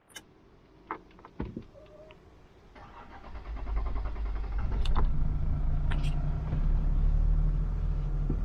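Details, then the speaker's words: Toyota LandCruiser 100 series (HDJ100) flooded in 2022, 1HD-FTE diesel, revived after flood damage: cranks, catches after about three seconds, and settles into a steady, even idle, running sweet. "but anyway the things running sweet as a"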